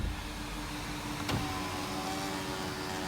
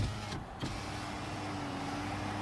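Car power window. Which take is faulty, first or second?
second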